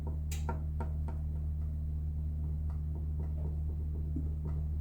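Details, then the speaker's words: 2005 Subaru Legacy rear suspension rocked with jack, 2x4 and pry bar, axle loaded: low steady hum with only faint scattered light taps, essentially quiet; owner suspects the knock is on the left side, where a washer is missing. "There's a tiny tiny amount of noise. But it's not much. I think the fault is on the left side instead of the right side."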